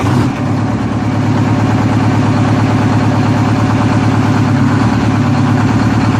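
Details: 1963 GM PD4106 bus conversion, rebuilt diesel not run for two weeks, started after adding a second 8D battery: fires within about two turns and settles into a steady, even idle with a firm low beat, no knocks or misses; normal idle.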